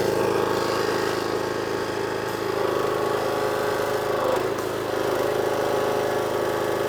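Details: Power washer engine, water on and new lance fitted, previously would only run on choke: steady even drone with no hunting or surging, holding speed; now running cleanly off choke and healthy.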